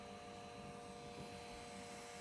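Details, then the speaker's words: Camera internal cooling fan kicked on after about 42 minutes of recording: steady airy whir with a few fixed hum tones, loud enough to hear indoors; camera cooling fan noise. "Okay so we've been recording about 42 minutes and now the fan has kicked on which is kind of loud"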